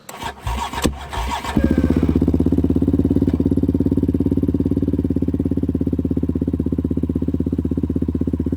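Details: Yamaha Raptor 734cc big bore ATV after rebuild, coolant and oil in, no brakes yet: a few rough kicks/cranks, then it catches and settles into a steady, even thumping idle with no knocks or misses; normal start.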